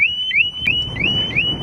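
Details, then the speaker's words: Harley-Davidson Smart Siren 2 on a Tri Glide, tripped by shaking the bike after two chirps: loud piercing siren, rising whoop about three times a second, lasting about 28 seconds with all lights flashing. "now that'll go off for 28 seconds goes off for 28 seconds and all the lights Flash and it's rather loud"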